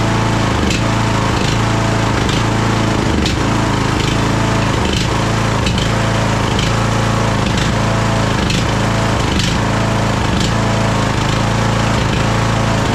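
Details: Craftsman DLT3000 lawn tractor single-cylinder engine, jump-started, oil level full: uneven chugging with irregular pops and stumbles. It is running rough and backfiring through the carb, among its carburettor problems.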